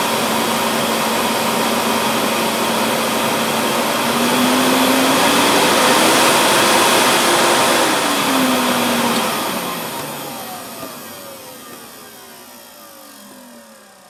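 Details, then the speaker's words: 1998 Hoover Alpina SC211 cylinder vacuum cleaner, used, cover off, exhaust vent kept away from microphone: steady rushing motor roar with constant hum, rising briefly then winding down at switch-off; sounds a little different with cover off, healthy run. "sounds a little bit different but then the the cover's off"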